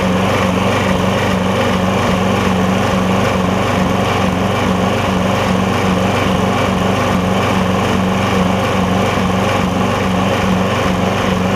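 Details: Lowe's MTD push mower with a Briggs Quantum engine, after an intake valve grind: steady running with a rhythmic pulsing surge in speed. It runs better and no longer chokes itself out; owner suspects the valve was ground slightly too far and it needs more fuel.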